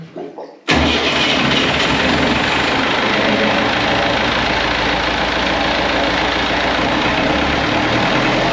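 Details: Perkins AA35001 marine diesel in a steel sailboat, first start after almost a year, fuel pump primed beforehand: short crank, then it catches straight away and settles into a strong, steady idle with no misfire; cooling water flowing, some smoke; normal start and idle.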